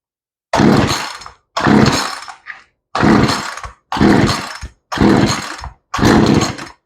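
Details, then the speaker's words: Chainsaw just fitted with a replacement carburetor, untuned, choke on, first start attempts: six rope pulls each give a short cough that dies at once; fires but won't run; hard starting, owner suspects lean low-speed mixture, next opening it half a turn. "No, I heard that kick. We'll turn the choke off. Okay, so we're not there."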